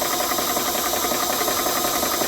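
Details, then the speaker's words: Vevor tabletop PCP compressor filling a Hatsan .25 caliber PCP air rifle, about a minute into the fill with temperature holding: steady, even mechanical chatter with a fast regular pulse, no knocks or squeals, fairly quiet. Normal running under load. "And got it all hooked up right there. Really not that noisy machine."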